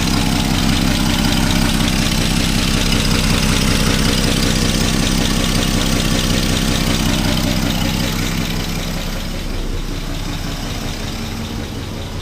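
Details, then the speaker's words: 1962 Plymouth Valiant, 170 Slant 6, pushbutton automatic, 63,000 original miles, abandoned 20+ years, freed from seizure, running on old gas: smooth, very quiet idle with an even low pulse about four beats a second, no knocks or misses; normal idle. "that is super quiet I can't believe how quiet that is"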